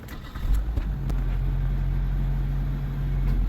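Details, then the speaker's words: Normal idle on a 2001 Nissan Altima after replacing the mass air flow (MAF) sensor and erasing the stored code; the engine catches and settles into a steady, even low hum with no misses, knocks or stumbles, running smooth. "So it's running smooth."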